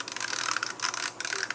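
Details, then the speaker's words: Kodak Ektar H35 half-frame 35mm film camera rewinding film; fast, light, high-pitched ratcheting clicks in short bursts, normal for the rewind; normal rewind clicking. "As you rewind the film, and you'll hear that clicking noise, totally normal."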